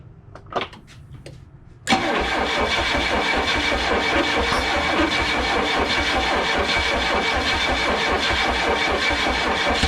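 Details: Chrysler LeBaron: starter spins the engine with a steady even churn but it never fires, because the distributor was installed 180 degrees off.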